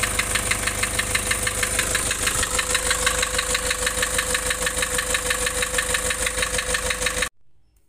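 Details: Nissan Urvan Estate E25 with ZD30 diesel at idle, blowing white smoke: loud clatter with an uneven lumpy beat about three per second until shutdown; rough running from lost compression.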